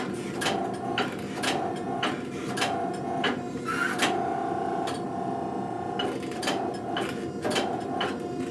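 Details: Blacksmith hydraulic forging press making tongs: steady mid-pitched pump hum with sharp knocks roughly every half-second to second as dies close on hot steel; rarely squeals at overpressure point; normal operation.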